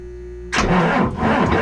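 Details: Boat engine after the fault that filled the engine room with smoke was fixed: cranks and catches within half a second, then a steady, busy rumble, no misses or knocks; normal.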